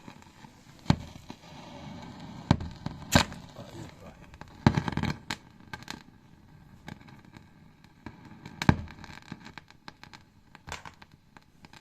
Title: Grand meister 40 hideous crackling noise issue